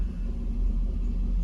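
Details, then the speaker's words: 2009 Cadillac Escalade V8 at idle after oil pickup tube replacement, oil pressure risen from 19-20 to 39-40 psi: deep even rumble with no ticking or knocking; healthy. "all right so at idle now before I did this it was at 19 to 20 psi at idle now it's at 3940"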